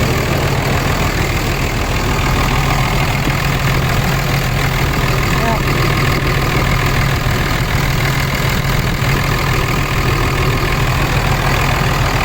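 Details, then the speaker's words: 2003 Dodge Cummins diesel pickup at morning idle: deep, steady, even clatter with no misses, knocks or hunting; a little light smoke and good oil pressure on an external gauge. Sounds normal, "not bad". "sounds like a Dodge that's not bad"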